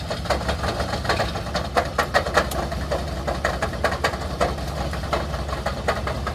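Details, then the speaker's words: C5 Corvette bought cheap, first start after fixing electrical issues and charging a dead battery: lumpy uneven idle with irregular thumps and pops about every couple of seconds; misfiring, failing engine, rebuild or swap considered. "You could hear the engine noise. It doesn't sound very well. So now we have to decide if we need to rebuild this engine or to swap uh to another one"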